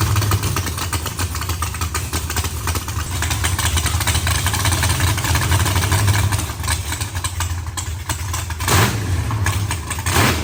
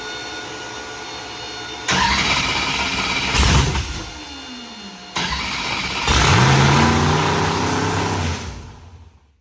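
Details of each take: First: Freshly built carbureted V8 race car first start before dyno: loud, lumpy big-cam idle holding fairly steady with no misses or knocks; idles fairly decently but still needs idle tuning. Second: Race V8 first fire-up on the dyno with a fresh tune: it fires, flares and sags, then restarts and hangs at a raised, wavering idle. The owner suspects the IACs are stuck open or there is a vacuum leak; the IACs were then pulled and checked closed.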